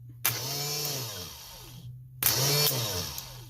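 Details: Briggs & Stratton Intek 18.5hp V-twin, its starter powered directly from a battery: two short bursts of smooth, quick whirring that spin up and wind down freely with no drag or grinding. Normal starter spin.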